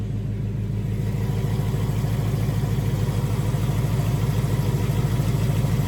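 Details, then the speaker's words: 2018 Mustang GT with stage 2 Whipple supercharger, on dyno, fully warmed up, checked for typewriter tick: even low V8 burble about 200 pulses a minute, no ticking over the top; clean, healthy warm idle. "No tick in here, guys. This motor sounds awesome."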